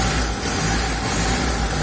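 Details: Car after fixing underbody noise from a gravel-road impact, suspected crankcase/sump guard: steady low idle, rattle and buzz from underneath now gone, underbody quiet.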